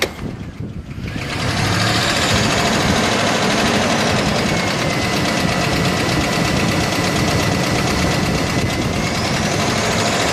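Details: 1999 Chevy Silverado 1500 5.3L V8 at idle with low oil pressure: light steady tick about three to four per second, once every two revolutions; owner suspects something in the valvetrain between cam and valves, not confirmed.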